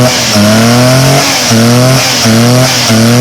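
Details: Car with a misfire problem, after the owner's DIY repair: engine blips up and settles back in clean repeated revs, even pitch climbing and falling without stumble or miss; sounds healthy, now running okay.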